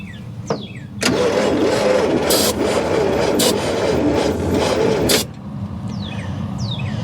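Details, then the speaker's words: Abandoned 1955 GMC 350 Hydra-Matic truck, dormant 30+ years, cranked by screwdriver jump with starting fluid: steady churning at about four beats a second, sounding weak, never fires; cranks but won't start, owner suspects no spark, possibly a blown coil. "that sounds weak that sounds very weak that sounds exceptionally weak"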